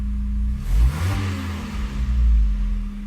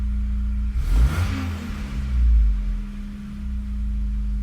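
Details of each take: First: Megasquirt-tuned car with custom headers, warm, idle AFR near 14.0: quick throttle blip, then revs drop and sag below idle before recovering; idle stepper initial values set too low and need raising. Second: Megasquirt-tuned engine during idle tuning, after idle setting increased: quick throttle blip, revs fall back and hold steady idle without dropping below about 700-750 rpm; stable idle.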